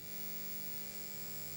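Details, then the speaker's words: Aiwa AD-F810K 3-head tape deck, powered on and idle: a steady, quiet low buzz with a faint higher whine, heard acoustically rather than in the recording; the owner suspects the transformer is physically vibrating, mains hum not confirmed. "now there is a buzzing which you can hear and you would have heard it know throughout some parts of the video that is not through the audio itself that is actually an external sound doesn't sound from the transformer physical sound thinks it's vibrating"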